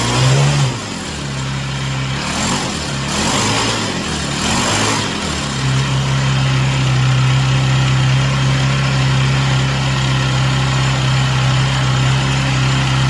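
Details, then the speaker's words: Chinese Amazon mini bike small single-cylinder engine after first start, run on a table to get hot: steady idle buzz with a few quick clean rev blips, settling back smooth; healthy. "All right, so I'm going to let it run for a few minutes, let it get good and hot."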